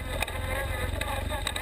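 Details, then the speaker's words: BMW 1150GS on a gnarly offroad trail, onboard: thin wavering whine rising and falling with road speed over engine and wind rumble, gear whine from the shaft final drive. "Hear the gear whine from the final drive."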